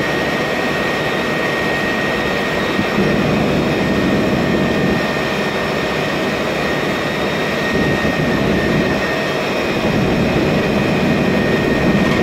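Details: MAN Lion's Classic city bus, 2007, MAN E2876 LUH03 EEV turbo CNG engine, Voith DIWA 864.3 4-speed automatic: a steady high whine of unchanging pitch above constant engine drone, from a noisy automatic gearbox.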